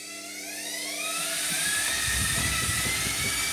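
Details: Hotpoint Smart Tech washing machine on Eco Cottons, noisy spin: spin winds up into a loud high whine with a fluttering rumble underneath.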